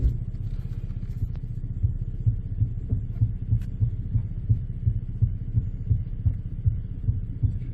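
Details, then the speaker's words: 2011 Ford Explorer after a new powertrain install, raised and run in gear: steady drone with a regular tick about three times a second following shaft speed. PTU was first suspected, but the driveshaft is catching a guard; planned fix is prying the guard away. "We found our tick, tick, tick. You did. And guess what? We're going to de-tick, tick, tick it and use a pry bar."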